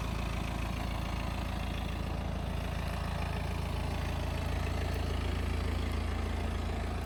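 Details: BMW 318d F31 with N47 diesel engine at idle: steady idle with an even, fast clatter underneath, about three or four beats a second; abnormal noise, cause unclear.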